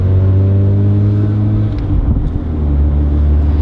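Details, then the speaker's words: Mazda RX7 rotary after a cheap exhaust fix: the cat was chopped out and a pipe welded from the header to the end of the cat, curing the exhaust leak. It hums low and smooth with no puffing or ticking, so quiet it's now the owner's quietest car. "I'll cue this oh so nice so quiet of course my camera died at the exhaust shop but let me show you this it's like so freaking quiet and it's so freakin awesome"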